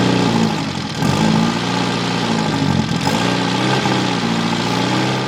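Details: Mitsubishi Evo 8 turbo four, first start at night after rebuild following a melted, leaned-out piston: smooth even idle with a couple of light throttle blips, no knocking or ticking. Engine sounds healthy.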